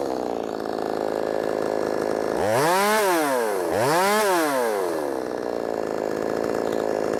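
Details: Brand-new, unbroken-in Wemars 6220 clone chainsaw on shakedown run revs up and back down twice cleanly, strong steady pitch with no stumbling or misfire; loud, powerful, revs good; normal running under load.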